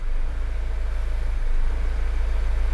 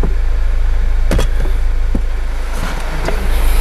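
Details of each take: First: Mazda CX-5 that starts, runs, and stalls, fuel gauge reading empty with low-fuel-level codes: low idle whose note swells and sags irregularly as rpm jumps; idle hunting, fuel pressure fluctuating, cause not pinned down. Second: Mazda CX-5 with fuel gauge on empty and hunting idle, after battery disconnect and reconnect: even, steady low idle rumble with no surging up and down; normal idle.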